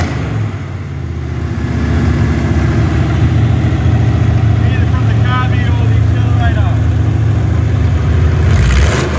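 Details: Ford 302 Windsor V8 on an engine test stand, first run in 12 years: an even burble with a clean pickup to a steady higher rev, no misses or knocks. No smoke and good oil pressure; it sounds healthy.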